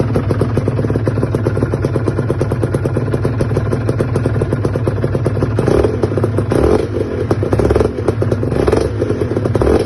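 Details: Aprilia RS 125 two-stroke: fast metallic clatter over the idle grows louder with each throttle blip; unusual engine noise, cause unclear.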